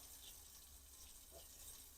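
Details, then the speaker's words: Household well after pressure tank fix that cured weeks of surging, pulsing flow: even, unbroken hiss of water from the tap with no pulsing; steady stream, tank pressure holding normally. "so before the water stream would be like getting bigger and smaller it was like pulsing now we've got a steady stream the pressure was good in the tank"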